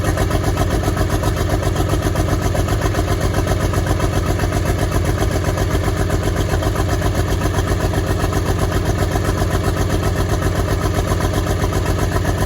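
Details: Track Marshall 90 diesel at first start, engine block cracked: steady beat but lumpy, uneven pulse about four times a second; misfire dropping a cylinder.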